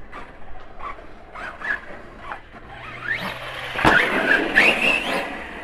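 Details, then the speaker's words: Arrma Kraton 4S RC truck. The motor whine comes in short jerky bursts that stop abruptly while the wheels otherwise act normal. Owner unsure whether motor or ESC; later confirmed as a bad ESC causing intermittent power cut-out. "run it here and you can see the wheels act normal nelson is just jerks and stops fine right now [Music] it's just really intermittent i'm not sure if i got a bad motor or esc or what this is"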